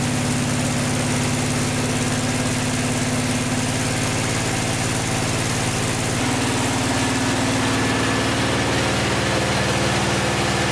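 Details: Vintage VW flat-four from a 1956 Beetle barn find, first start after sitting 24 years, with a couple of cylinders slightly low on compression: steady, even beat, no knocks or misses; running cleanly.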